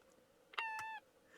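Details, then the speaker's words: Masterwork 10-transistor AM/FM radio, bought for five dollars at a flea market, battery-powered: a short, bright, bird-like whistling chirp of about half a second sounds each time the set is switched off; the radio also plays distorted. "you turn it off listen to that do it again turn it on isn't that cute"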